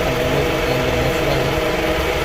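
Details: 2004/2005 Toyota Camry after no-crank, no-start repair: steady, even idle with a smooth low hum and no knocks, stumbles or whine after the battery charge; normal idle.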